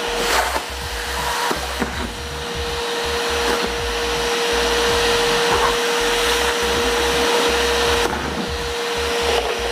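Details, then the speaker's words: Multipro 3-in-1 budget wet/dry/blow vacuum cleaner, 650 W, 10 L tank, running during suction test: steady whooshing roar with constant mid-pitched whine; fairly noisy but not excessive, motor running normally. "Suaranya lumayan ya, lumayan berisik, tapi ini nggak berisik-berisik amat sih sebenarnya."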